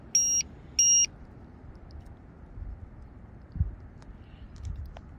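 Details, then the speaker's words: RC airplane LiPo low-voltage alarm: two sharp high beeps half a second apart; alarm set to trip at 4.0 V per cell while battery was at 3.95 V, threshold set too high. "there we go yeah I had it set at the wrong voltage oh okay I was going to say I or at four and it was at 3.95 we're good"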